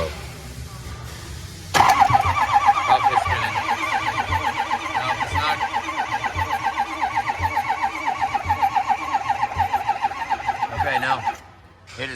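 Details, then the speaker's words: Ford 6.0 Powerstroke diesel, extended cab, no-start: starter grinds engine over slowly and unevenly for about ten seconds without catching, retried to check whether AC or accessory drive is binding; slow crank, cause unconfirmed. "let's try it again and see if it's AC Drive anything or if it's still slow"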